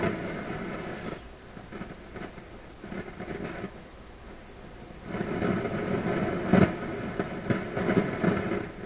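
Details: PYE 39HC shortwave broadcast receiver that stopped working properly during restoration: irregular crackling and crashing bursts come and go over a low hiss. The volume control is suspected, not confirmed. Crackling noise in the audio output.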